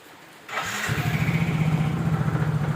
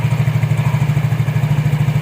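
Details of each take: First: Yamaha Mio J scooter, which the customer says has a noisy engine and transmission, before disassembly: even low putter at idle with an irregular squeak that comes and goes from the CVT belt drive. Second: Yamaha Mio J scooter after replacing the V-belt and rear pulley parts, the noise having come from a worn seal and a damaged pulley-housing bushing: even, steady idle at about seven pulses a second with no rattle, squeal or belt slap.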